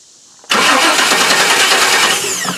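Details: 1998 Chevy truck, code P1351, crank no start: starter cranks steadily with an even churning rhythm but never catches. No test-light pulse even with the coil connector unplugged, so the ignition module is being replaced.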